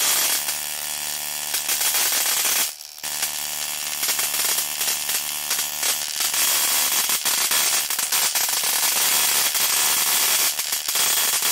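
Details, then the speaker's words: 555-timer ignition coil driver/tester on a 7 Ah sealed lead-acid battery, MOSFET-switched, 0.1 µF (104) capacitor: a harsh, steady crackling buzz for several seconds as the spark jumps the gap, producing ozone; coil and driver firing properly. "Okay, I could smell ozone that was generated from the arcing."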